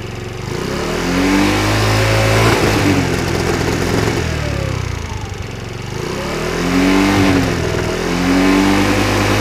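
Small two-stroke revving up and dropping back with uneven pops and crackle on the overrun, typical of a backfire problem. Cause suspected, not confirmed.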